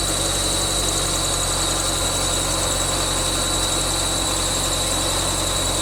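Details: 1999 Subaru Forester S 2.5L EJ25 SOHC, first start after head gasket replacement: constant high-pitched squeal over an even idle from the bottom pulley, which was on too tight. Pulley squeal from overtightened pulley.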